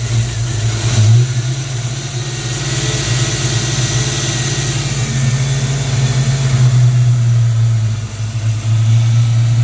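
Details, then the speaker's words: 1994 Ford Mustang GT convertible, new battery over 12 V, weak spark earlier: fast steady idle around 1400 rpm with a brief sag, then stalls after a few seconds and on slight throttle; distributor timing to be adjusted, cause unconfirmed. "Better. It died out and turned itself off after a few seconds again. It idled at 1400 and then shut off."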